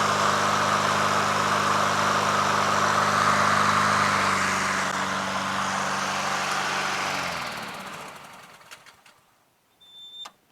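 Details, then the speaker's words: Honda HRT216 Harmony II Quadra Cut push mower at lowest idle after carburetor cleaning and fuel treatment, formerly surging at low idle: steady, even putter with no hunting, then shut off and winds down; normal idle. "See here, we're at the lowest idle now, right? Purrs like a kitten, man. Just so smooth, you know? So smooth."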